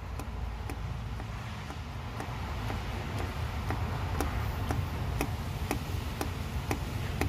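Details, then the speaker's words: Nissan/Vauxhall/Opel EGR valve actuated repeatedly by a diagnostic tool: light, thin clicks about twice a second, now moving after repeated presses but still not sounding proper, likely still partly stuck with carbon. "let's just try it one more time hold it for a few seconds release so the few little love taps the fact that I kept pressing it has it's now it's moving it's still not sounding proper"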